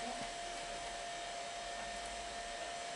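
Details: Amiga 2000 power supply fan (first spun wrong way round): smooth even airy whir with clean steady hum, no rattle or ticking; fan running normally with good air movement.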